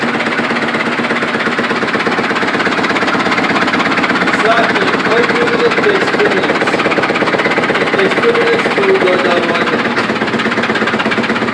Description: Strong vibration at last cycle even burning smell .Reason is broken spider arm inside drum.